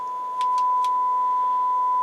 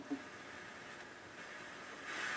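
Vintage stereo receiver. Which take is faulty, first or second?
second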